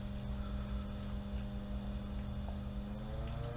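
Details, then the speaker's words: SuperFlo variable-speed pool pump ramped to its maximum 3,450 rpm on 1.5-inch plumbing, drawing almost 10 A and 2.27 kW: constant low motor hum and smooth flow noise, no grinding or squealing. "so here we have a super flow variable speed pump and I'm going to start it up and I'm going to ramp it all the way up to the maximum rpm three thousand four hundred and fifty rpm"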